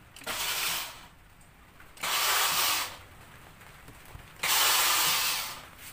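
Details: 2002 Honda CR-V K20 AWD with a no-start: three bursts of harsh, gritty whirring as the starter grinds without engaging and the engine never cranks. Fixed by replacing the starter.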